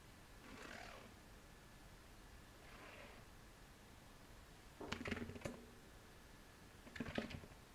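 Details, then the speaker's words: Tubeless MTB wheel turned slowly: loose clattering and tumbling inside the tyre. Owner suspects a lump of dried sealant, which proved to be a hardened lump of sealant. "poltert irgendwas im Reifen ist ein bisschen schräg ich werde den jetzt natürlich mal abmachen ich habe so ein bisschen ein Verdacht was sehr ungewöhnlich ist weil eigentlich hält es immer ein jah meine tune dicht mich dass ich da irgendein Batzen an dichtmilchbrocken Daum poltert oder quietscht"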